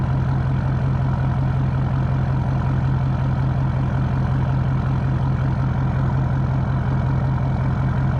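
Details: 2012 Ford F550 6.7L Powerstroke diesel idling with full exhaust, mic 16 inches from the tips: deep even thrum at steady pace, no misses or knocks; healthy idle, smooth exhaust note.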